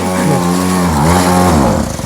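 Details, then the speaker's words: Cheap Chinese two-stroke kids' quad with a carburettor offering few adjustments, just restarted: idle hunts, pitch wandering up and down, then sags and dies within a couple of seconds; won't hold idle and stalls. "Bon, voilà, on a réussi. Mais bon, voilà, ça tient pas bien ralenti."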